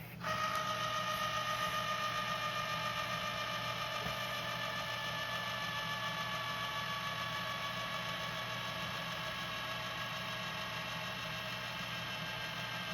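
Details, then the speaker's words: JVC GR-SXM330 Super VHS-C camcorder after repair (fix for clicking/E03 error): fast forward gives a smooth steady motor whine easing slightly in pitch, no clicks or clatter; normal fast forward. "But mainly, you can hear how quiet that transport is. The only thing you hear is the heads. You should not hear no clicky clacky. The transport should be nice and silent."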